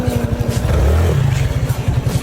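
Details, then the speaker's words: Motorcycle engine with camgrind on a low budget build, check engine light cleared: deep fast exhaust pulse with throaty rush as revs rise and fall; the crankcase breather noise is louder than stock. "So ayan yung ingay, breather yan."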